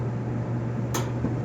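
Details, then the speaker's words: Kenmore 400 Series gas dryer model 110.77422600: low steady hum, then short soft whoosh as gas catches with blue flame, showing gas valve coils working; normal burner ignition. "okay there it is you hear it and then you see the blue flame okay so right there that's telling you that uh that uh your dryer have uh uh i i just turn it off that's telling you that your your gas valve is working"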